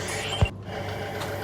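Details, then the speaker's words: SAP twin-tub washing machine, wash side previously not spinning; the pulsator and gearbox turn with a steady, smooth low hum, no grinding or knocking, one brief bump: normal wash motor running. "Oke, di sini untuk pulsator sudah berputar dan gearbox gearbox pun artinya sudah putar dan suaranya juga halus ya, tidak ada kasar."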